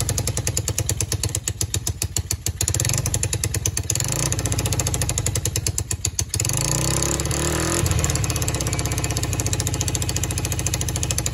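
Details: Just-acquired free quad (four-wheeler) with spark confirmed and solenoid jumped since the start button doesn't work; uneven, lumpy firing with stumbles and dips in level. It runs rough and the carburetor needs fixing.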